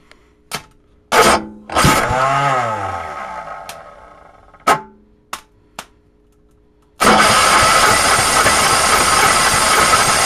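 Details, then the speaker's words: 10 hp engine bought as a tractor replacement, cold start on full choke with throttle: separate pops and short bursts as it struggles to catch, shooting gas from the exhaust, then a rough steady run; some fuel lines leaking. "it's trying it's firing and she's shooting some gas"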